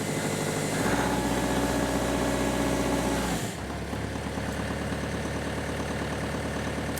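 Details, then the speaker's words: Compact diesel tractor (Kubota LX3310 / John Deere 2038R cold-start comparison) started at 23 degrees after sitting in an open shelter, after cold-warning beeps; even clatter revs up smoothly, then settles to steady idle; normal running after cold start. "it's all done okay it's running smoothly now there's probably nothing to see here i'll rev it up a little"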